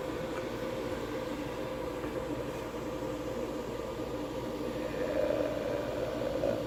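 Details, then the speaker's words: Diesel heater installed indoors on a Chinese power supply with battery backup, just after shutdown: a soft, steady fan rush that winds up higher near the end as the fan speeds up to purge leftover heat while the exhaust cools; a normal shutdown cycle. "And then uh what it'll do is it'll speed up again on the fan to kind of just kind of inject out well output not inject but output the uh all the rest of the heat that's in there. So here we go. It's going to wind back up."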